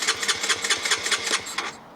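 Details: Honda CBR125, 8,700 miles, abandoned and crashed, fuel-injection light flashing: starter spins engine with even chuffs about six a second but it never fires; injector body also replaced.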